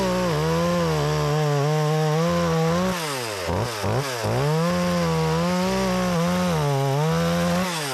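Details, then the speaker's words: Makita EA3200S chainsaw, repaired after not starting following a year in storage, test cutting an old utility pole: high steady note dips and recovers smoothly in each cut; pulls strong and clean. "that thing is pulling good I had no problem with"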